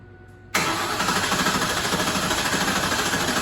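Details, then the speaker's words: 2004 Ford Mustang GT 4.6 under restoration, rebuilt starter, no serpentine belt, cranking for oil pressure without crankshaft sensor connected; even steady cranking, about three compression pulses a second, no grinding or clicking. "thank you that rebuilt starter sounds pretty good"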